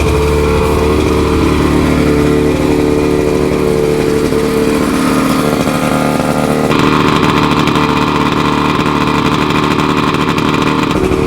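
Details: Roughly 50-year-old OMC 50 two-stroke outboard, run on ear muffs after 5+ years of storage, warm-up lever down, not pumping water: fast, steady, buzzy drone. Idling high; owner attributes it to jetting being off with the exhaust out of water.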